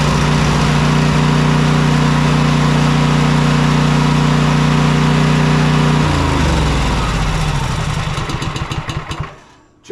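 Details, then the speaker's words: Cub Cadet Enduro XT2 riding mower, 679cc EFI MTD single-cylinder, after cleaning and greasing fuel shutoff/pickup electrical connections: steady even drone, smooth wind-down; repeatedly starts and stays running, fault fixed. "goes to show that that was definitely the issue we've started it enough to prove that he said it would start"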